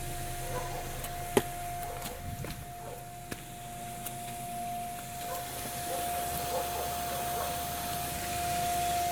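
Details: 2002 Ford Escape develops a steady mid-pitched hum inside the vehicle after driving for some time, holding one pitch and growing slightly louder midway; cause unknown.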